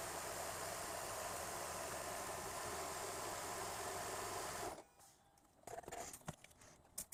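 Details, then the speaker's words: 2009 Toyota Highlander Hybrid 3.3L 3MZ-FE V6 just started after timing belt, water pump and seal replacement: steady, even idle hum with no knocks or ticks, settling smoothly as it warms up; normal warm-up idle. "just put my foot on the accelerator and the engine went on i would just have to let the engine warm up"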